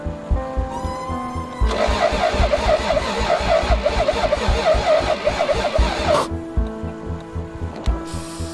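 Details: Toyota 7M-GTE straight-six (MA70 build) being started after a four-month rebuild, cold start injector not fitted. Even cranking chugs, then a ragged catch that stumbles a few seconds and dies, because the crank position sensor was mounted out of position.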